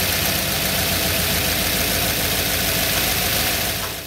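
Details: 1985 Ford Bronco at fast idle around two thousand rpm during a timing check (timing found about right, target 34 degrees); steady even note, no knocks or misses, sounds healthy.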